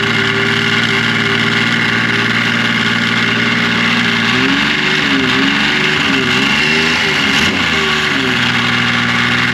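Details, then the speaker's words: 2005 Yamaha Vector snowmobile idling with clutch cover on, never given the factory repair kit: loose metallic rattle from the primary clutch over the engine's steady hum; known factory clutch rattle. "these hear that rattling that's what rattles so let's let's listen to it now with the cover on"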